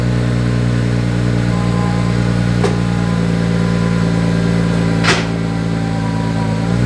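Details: 2001 Audi S4 after repairing a fuel leak from a botched air-suspension install, fuel system reconnected: smooth steady hum, no stumble, miss or knock, no fuel leaks seen; took a while to start because the fuel system was disconnected.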